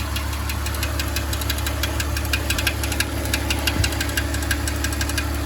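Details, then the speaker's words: 2005 BMW X3 at idle: sharp, fairly regular light ticking or chirping from the back of the engine near the bell housing and flywheel, possibly the transmission; the starter is believed to have been replaced a year and a half ago. Source not confirmed. "it's this chirping sound, this ticking sound. [Applause] And it does not seem to be coming from the top of the engine or the front of the engine."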